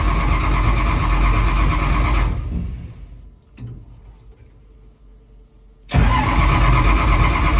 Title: Hard starting 7010